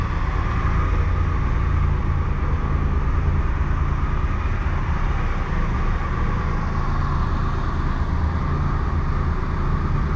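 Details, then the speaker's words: Triumph Tiger 1200 Explorer at 45,645 on the odometer, idling after repair: excessive play in the alternator housing and bearings, bearings replaced. Smooth, even idle with steady low hum; the alternator-side clocking knock is gone. "Então montamos aqui, o barulho foi embora."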